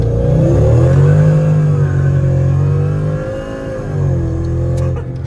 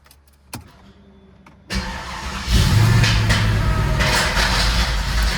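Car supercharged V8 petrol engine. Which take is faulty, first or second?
second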